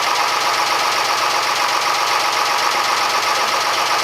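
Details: Fisher 30 sailboat diesel test run after cooling system work (new water pump impeller, thermostat, thermostat cover repair, unclogged exhaust elbow), pump flow confirmed: steady, even diesel clatter with no knocks, misses or surges; normal running.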